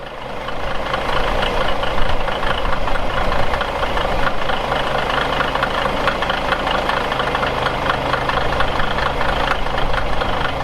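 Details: Caterpillar 1693 diesel in a 1977 Peterbilt 359 toterhome, fully warmed up and revved out: it pulls up and holds a strong, even roar at high revs with no knocks or misses. Normal running.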